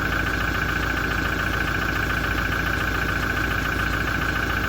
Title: 2017 Toyota Diesel engine noise issue after major service - engine knocking and rattling